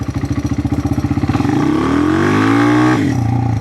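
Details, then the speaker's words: Honda XR200R in about fourth gear on a slow roll: chugging thumps, then engine pitch rises quickly without matching speed; clutch slipping; slipping clutch. "It revs up, but the bike really doesn't go. And the revs should correspond with the power going to the wheels."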